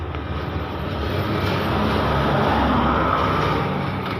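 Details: Epson L3210 printer after a faulty encoder (sensor) disc was fixed; the printhead had been stuck on the left with gears racing: steady, even whirr with no knocking or grinding, smooth motor and carriage travel, running normally.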